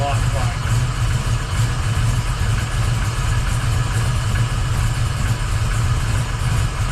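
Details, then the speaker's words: 1979 Camaro Z28 V8 with Pete Jackson gear drive replaced by an Edelbrock Performer double-roller timing chain, new balancer and water pump; running rich (AFR 12.7–12.9), carburetor needs tuning. Smooth, even burble without gear whine; much quieter than before. Normal idle. "wow what a difference that is so much quieter I'm sure it's going to be a lot better at cruise and at higher RPMs"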